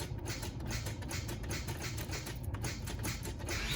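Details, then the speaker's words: 2003 Nissan Altima 3.5 SE automatic with a failing starter (driver's side) that starts only intermittently: rapid light clicking from the starter, no cranking, then it eventually catches. Starter solenoid clicking, no crank. "See, it'll do it a few times and then it'll catch. Just a clicking."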